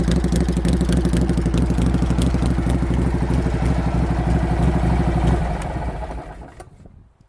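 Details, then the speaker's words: Normal running of a Harley-Davidson Shovelhead road bike with an SU carburetor, just reassembled with new exhaust pipe extensions: a loud, raspy open-pipe V-twin at a steady lumpy idle, then winds down and stops cleanly; healthy engine. "That's my idea of what my shovelhead should sound like. If it sounds a little nasty and raspy, it's only because it is, but it's basically my road bike."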